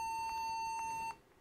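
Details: Toshiba laptop that won't boot Windows and restarts to the logo, now booting from a Windows 10 USB: a steady high beep of about a second with faint clicks every half second. Repeated beeping at startup, cause unknown.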